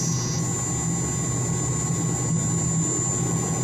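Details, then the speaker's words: Pump motor of about 25 hp (uncertain) on a variable frequency drive: steady hum with a thin high-pitched buzzing whistle from the 4 kHz carrier frequency, before raising the switching frequency to reduce noise. "you can hear that high-pitched buzzing noisy sound that's a 4 kilohertz carrier frequency"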